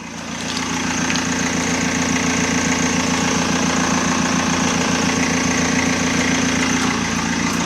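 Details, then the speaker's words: BMW E46 Touring diesel idling after firing straight up with no long cranking. A steady, even idle with a soft regular clatter, and the earlier high-pitched whine from the inline pre-supply fuel pump is gone: healthy. "Engines idling, perfect. Engine sounds sweet."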